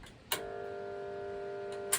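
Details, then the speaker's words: Pool pump motor switched on: a click, then steady electrical buzz with no spin-up, cut off by a second click; motor won't start because its start capacitor is dead, from heavy overheating, possibly full sun exposure; fixed by replacing capacitor. "Donc là, il s'active pas du tout le moteur. Il s'active pas à cause de ? À cause du condensateur, du condensateur de démarrage du moteur qui est HS."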